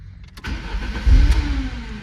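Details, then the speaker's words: 1993 Lancia Delta HF Integrale cranking: tries to fire with a few uneven pops but never catches; no fuel pump sound heard from the rear at key-on, fuel system suspected. Crank no start, likely fuel starvation. "Tries to fire, but won't do anything. Now, like I said, I'm already suspicious of the fuel system, and when you key on, you don't hear anything coming from back there."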